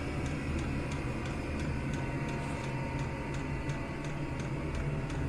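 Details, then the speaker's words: Chinese diesel air heater on setting two (of six), exhaust heating a radiator: pulsing slows once settled, then steady light ticking about three times a second over an even burner hum; normal running. "and that'll just tick away nicely on on setting two all day"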